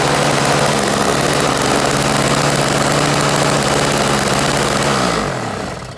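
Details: Toro CCR1000 3 hp single-stage snow blower, a free no-start unit with a gummed-up carburetor jet, runs at a steady, even single-cylinder beat for about five seconds, then winds down smoothly; healthy running.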